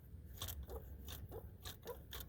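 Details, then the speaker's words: MK4 TDI turbo actuator linkage worked by hand on a roughly 50° day: uneven dry crunching clicks in bursts; owner suspects the actuator is dead, punctured or full of rust, vanes feel okay, turbo won't spool down, oil soaks turbo parts. "I think that this valve here this actuator I think this is dead or punctured or something and the valve of of on the turbo the veins feel okay"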